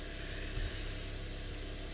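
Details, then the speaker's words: Engine after throttle body service, ECM relearning airflow, other shop had diagnosed a burned valve: quiet, smooth, even idle hum with no misses or ticking, one brief thump; healthy normal idle. "Behavior it really sounds like a Swiss watch it's incredible I love it"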